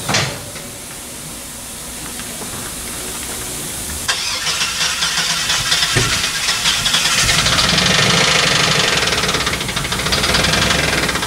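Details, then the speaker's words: Chevy S10 Blazer 4.3 V6 after intake manifold and distributor install: cranks, catches and revs with a steady deep knocking tap; sounds like a rod knock yet not quite, source unclear, valves to be checked. "cuz this noise while it sounds like a rod knck it doesn't it also does not sound like a rod knck"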